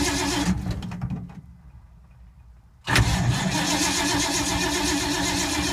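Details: 1952 Ford, sat for months, battery getting tired after long cranking: fast rhythmic cranking chug, a pause, then more cranking that never catches; cranks, won't fire, owner suspects no spark, points and condenser.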